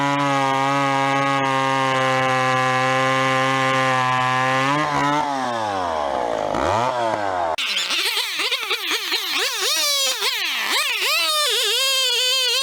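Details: Vintage chainsaw, unknown when last run, chain a little dull, cutting a 14-inch piece of wood: steady high buzz at full throttle, revs dip and surge as it bites in; pulls strongly, normal running.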